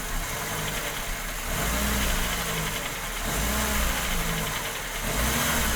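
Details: Fiesta 1.0 8V Supercharger, oil and filter changed that day: as revs drop back after accelerating, a faint irregular pinging-type knock rides over the engine note; knocking noise on deceleration, cause unknown.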